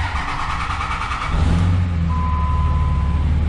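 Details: 5.9 Cummins diesel just fitted with a FASS lift pump and fuel filter delete, primed, low fuel level: brief cranking, then it catches and settles into a steady, even low idle with no misses or stumbles; healthy start.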